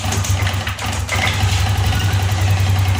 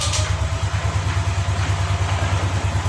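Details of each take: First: Yamaha Lexi after repair of broken ignition coil wire (rejoined, coil sits low and corrodes from dirt): engine starts with brief catch and settles into steady, even idle with no misfires; running fine. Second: Yamaha Lexi scooter that died suddenly: with ignition on, the starter cranks steadily at about three pulses a second but the engine never catches.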